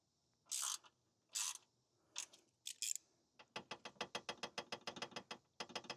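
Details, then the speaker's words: Ford Ranger Raptor with an S&B intake: a deliberately loosened intake bracket bolt gives metallic rattling bursts, then steady clicks three to four per second. It transmits through the frame and sounds like it comes from deep in the dashboard. "That sounds exactly like it was. And it makes sense. This would pass through this frame. you would hear that noise and it would come in through the inside and sound like it's deep inside of the uh dashboard."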